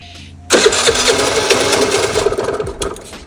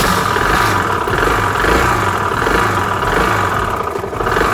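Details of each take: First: Piaggio Vespa 50 LX scooter during restoration. After checking the fuel in the hose and the membrane, it fires and sputters unevenly, stumbling and fading instead of idling. The owner suspects the idle valve isn't working; fuel starvation not confirmed. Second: Restored Piaggio Vespa 50 LX two-stroke scooter, after carburetor adjustment and vacuum fuel-line refit: buzzes steadily, rising and falling smoothly with short throttle blips, no misfire; normal running.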